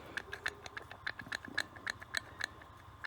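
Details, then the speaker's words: Mercedes W463 G500 with lumpy rough idle, no check engine light, P0444 purge valve diagnosis, intake pulled off at air cleaner/MAF: sharp irregular clicking from intake area at idle; owner suspects idle reset needed, maybe MAF, though unplugging MAF changed nothing. "about the same noise but that's what I'm hearing clicking in there so something's causing it to not know keep jumping back and forth"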